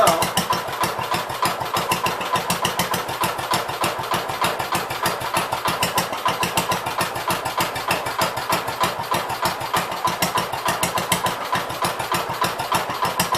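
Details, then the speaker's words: Gravely 566 small engine running after rebuild, about a quart low on oil (at add mark), transmission in gear 8, spring possibly missing; fast, even putter with no knocks or misses, normal running. "But so at least works. Sounds like it'll run pretty decent."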